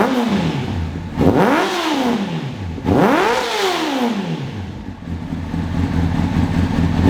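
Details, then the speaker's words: 2003 Honda CBR600RR inline-four, first start in 18 years after new ECM, fuel pump, relays, battery: revs sweep up and down sharply with a rough, clattery edge, firing unevenly; shoots fireballs from the exhaust when warm, cause unknown. "I don't know why it's running. All I know is that it makes a fireball the size of my head when it's warm, and it's running."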